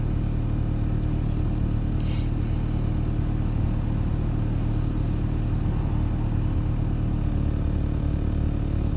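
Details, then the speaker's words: Nissan VQ35DE V6 with code P0303 (cylinder 3 misfire), at idle: a low, uneven, loping rumble, still misfiring but less after work on it. The scanner still shows cylinder 3. "it definitely still sounds like it's misfiring H, but less."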